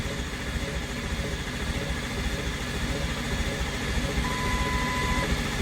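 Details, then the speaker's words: Freshly built diesel in a mud truck on first startup, fresh batteries and a 6.4 starter: steady cranking at about two turns a second, never catching while oil pressure builds after priming; long crank, no start, starter left to cool. "come on baby oh we got low pressure I'm going let the starter cool"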